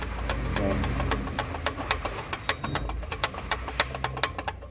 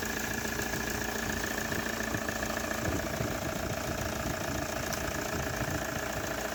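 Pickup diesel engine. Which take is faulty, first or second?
first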